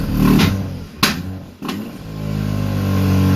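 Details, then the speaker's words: Engine, owner unsure which and wonders about an apex seal or rod, blipped while warming up on old fuel after starting with a charger; two or three sharp exhaust cracks and pops as the revs fall off. Cause unclear. "It's been a good, what, couple months since I started doing this. Since I got the crackles though."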